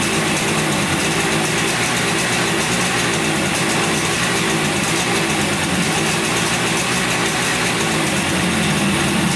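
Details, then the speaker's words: 1971 Yamaha CS200 twin two-stroke, sat over 17 years, recently revived: raspy, thin, lopsided idle like half the twin firing; owner suspects one cylinder not sparking; later checks found spark and 125 psi compression on the left cylinder. "looks like it's only running on one cylinder here. This one's not sparking or anything. I think it's only running on one cylinder."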